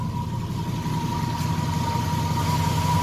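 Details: Triumph Stag after engine rebuild, lumpy idle with a steady high-pitched whine on top; noise only seems to start once the engine is revved to extinguish the ignition light; source unclear.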